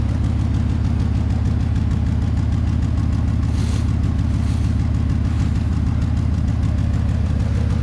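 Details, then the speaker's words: Ford truck with a 5.4-liter engine, sitting about 1.5 years and needing an exhaust, left running to charge the battery: deep, loud idle with an uneven lope and occasional stumble; a rough idle with a slight misfire. "a rough running but a nice big 5.4 liter engine there."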